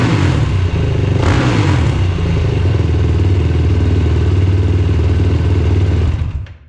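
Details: Yamaha YFZ450R XC race quad on a 24-volt starting setup, briefly warmed on a milder day: catches quickly and settles into a steady, even idle with a firm low thump, no clatter or misses; earlier hard start was from not warming up in cold.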